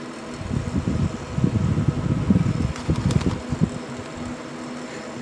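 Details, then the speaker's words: Machine running on battery backup during a power outage: low, wavering rumble with uneven surges over a steady fan hum. Noisy cooling fan; owner suspects the bearings but isn't sure. "I think it has to do with uh either bearings or um could be something else"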